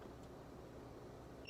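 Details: Window AC controlled by a Flair smart puck's IR signal: quiet room hum, then a short, clear high double-tone beep as the unit accepts the remote command setting it to 73 °F (23 °C).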